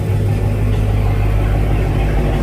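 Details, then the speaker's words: After securing the MBRP race exhaust module brackets, which, not the exhaust bracket, caused the rattle: smooth steady low hum with no buzzing or metallic rattle; normal running before a test drive. "the whole time I thought it was the metal bracket on the exhaust it wasn't exhaust at all it was the freaking brackets"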